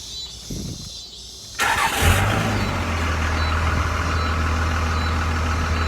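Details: 2001 Dodge Cummins 24-valve diesel that had been surging and stalling after a fill-up of bad diesel. After draining the tank, it cranks briefly, catches and settles into a steady, even idle with no hunting; sounds healthy.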